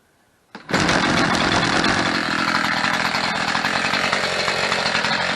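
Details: Chainsaw restarted with choke pushed in, ignition on, chain brake engaged: fires first pull into a steady, buzzy two-stroke idle with no chain whirr; runs clean.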